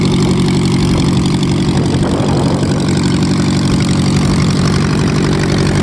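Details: VW Type 1 air-cooled flat-four on its first run after new valve adjustment screws: even, steady idle with a busy mid-pitched rattle, no loud valve ticking or misfire; sounds healthy.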